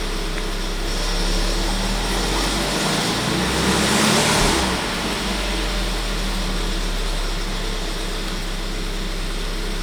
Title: 1.4 TSI 160 - Timing chain noise